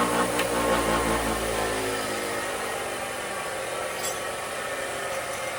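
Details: Replacement bench grinder after the old one burned out: smooth steady whirr with even low hum that fades as the wheels coast down cleanly; healthy normal running.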